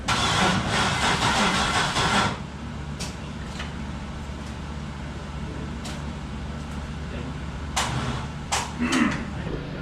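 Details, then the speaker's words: Third-gen car (trans-swap project, bell housing refitted) after sitting about a month and a half: about two seconds of laboured cranking that never catches, then quiet; battery went dead from sitting, too flat to start. No-start cranking from dead battery. "right currently battery went dead from sitting here for so long"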